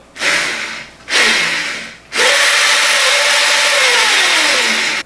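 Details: Drive motor of a DIY electric drive with the brake switch wires shorted and the wheel spun: three spin-ups, each a smooth rising whir that holds steady then coasts down, no grinding or knocking; normal motor spin.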